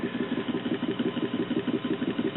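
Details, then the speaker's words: Circa 1947 GayTone 78 rpm record player running with a steady low rumble pulsing about eight times a second; worn idler wheel in turntable drive needs replacing. "and this could also stand a new idler wheel because of uh what you can hear there"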